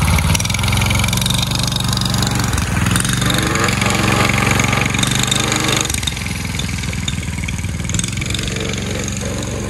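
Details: Predator 212cc single-cylinder engine swapped into a Chinese mini ATV, first test run on choke: steady, fairly even putter with no knocking or rattling, sounding healthy. Normal running.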